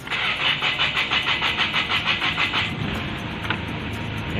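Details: 2005 Kia Sorento with the D4CB diesel, previously hard starting and needing throttle, with codes P1616, P1183, P1188, P1190 and P0193, after the problem was solved: steady cranking pulses at about three per second, then it catches and runs evenly; normal start.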